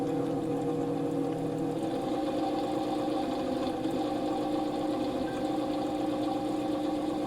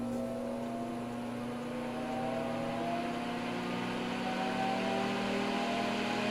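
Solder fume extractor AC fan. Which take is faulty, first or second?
first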